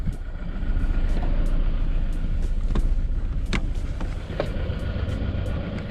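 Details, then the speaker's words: 2003 Toyota Camry Solara started after sitting for weeks, before head gasket block test: deep uneven rumble with irregular ticks and pops at idle, running quite rough and shaking the car; cause suspected, not confirmed. "it even starts do you hear that that's really ruining quite bad"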